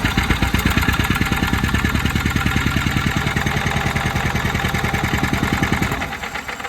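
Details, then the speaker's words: Yamaha G2 golf cart, starter brushes rewired after it ran backwards, valve cover off, WD-40 in carburetor, spark present: steady cranking about three compressions a second with no firing; cranks but won't start. "we did pull the spark plug and turn it over and unfortunately I mean it's got spark but we're not able to get a a fire"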